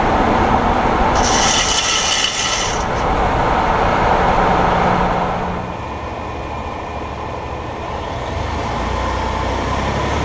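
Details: 2018 Ford F150, GoPro placed up close: road rumble with a quick, even ratcheting grind from the front hub area while rolling; owner suspects the IWEs that engage 4WD, not confirmed.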